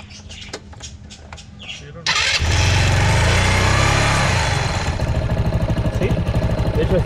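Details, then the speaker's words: Italika small scooter engine running without its faulty part, with an even steady putter and no knock; the noise that sounded like a connecting-rod (biela) knock turned out not to be the rod and is gone. "quitó el ruido que traía, parecía de biela, ¿verdad? Sí."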